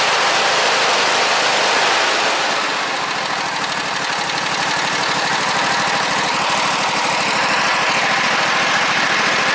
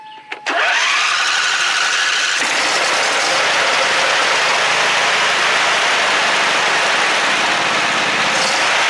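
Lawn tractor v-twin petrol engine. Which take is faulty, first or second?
first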